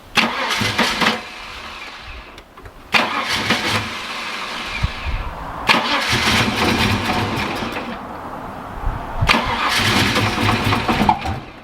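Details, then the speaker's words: Holden VN SS Commodore 5.0L V8 that sat for years, on a new in-tank fuel pump and parked unlevel: cranks in four bursts, fires raggedly and dies each time. Owner suspects fuel pickup or weak fuel pressure. "Like, sometimes when a fuel pump's failing, it will fire like that, but it won't give you enough fuel pressure for it to run."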